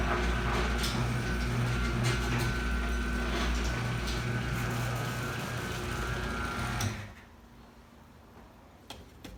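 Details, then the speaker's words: Chamberlain garage door opener after resoldering a cold solder joint on the relay board; it previously stopped at random spots from relay contact dropout. Steady motor hum and drive rumble, no relay chatter, clean stop; runs normally. "no more clicking"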